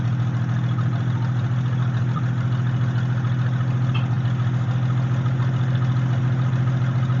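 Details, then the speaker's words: 1946 International truck abandoned 50 years, first run without a radiator: smooth, steady low idle around three and a half pulses a second with no clatters, clanks or rod knock; healthy running. "it was actually running really good no clatters no clanks no rods knocking it ran very smooth"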